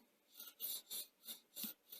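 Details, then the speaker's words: Sony SL-HF100 Hi-Fi Betamax during service, head drum just reassembled: repeated dry scraping rasps about three times a second as drum turns; rotary transformer dragging, needs alignment. "so you can hear that's the transform is now dragging so we'll have to do the alignment on that"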